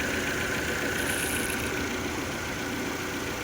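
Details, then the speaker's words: Fiat Argo petrol engine after replacing a failed water pump (obstructed rotor, blown bearing): even, steady idle with constant mechanical hum, no rattle or squeal; engine noise back to normal. "O carro aí voltou o barulho normal de novo."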